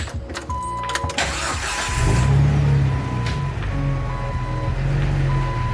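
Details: 2003 Jeep Wrangler TJ with a transfer case drop kit, just after a transmission replacement with a new throwout bearing and a notched shifter opening. The engine builds into a steady, even pull, taking off in second gear with no grinding or clunks. Normal drive-off.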